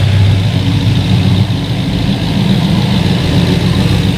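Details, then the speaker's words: LS V8 swapped into a Volvo 940 wagon, freshly topped off and burning off dripped oil and probably brake cleaner; deep steady idle with an even, unbroken rumble and no misses or knocks, running smoothly and healthy. "but we got all topped off we're burning a little bit of uh oil that we dripped and some uh probably brake cleaner off the engine but yeah she sounds good"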